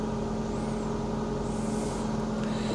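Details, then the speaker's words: Ford Fiesta Ghia idling with air conditioning switched on; steady even idle, no change in revs, compressor not heard kicking in, no belt squeal; engine management light noted; normal idle with air conditioning on. "Well, no difference to the revs. I didn't necessarily hear it kick in, but we'll try the fans."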